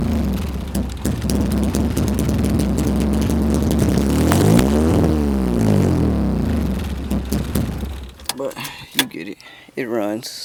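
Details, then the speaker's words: B20-swapped Civic just after first start, running straight off the header with no exhaust fitted, while a vacuum leak is still being chased: a very loud, raw rasp with sharp rev rises and falls. "all that matters there's no exhaust connector right now it's running straight from the header that's why I sold out"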